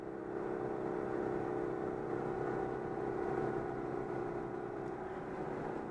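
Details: Citroën 2CV running steadily at about 90 km/h after repair: even engine drone, no stutter or surging; problem was an air leak in a fuel hose starving the fuel pump.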